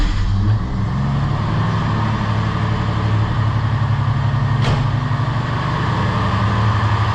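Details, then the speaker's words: Ford XF Fairmont idling after replacing an undercharging alternator and fitting a new battery: low, steady engine hum with no squeal, rattle or knock over several seconds; healthy, no dash warning lights. "Make sure it looks good and not making any weird noises or looking sus."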